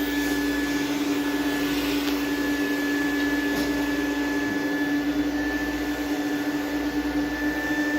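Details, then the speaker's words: Mini vacuum with loading filter: steady high motor whine over rushing airflow as the clogging filter restricts air movement and suction drops; motor whine from restricted airflow. "You hear that motor starting to whine?"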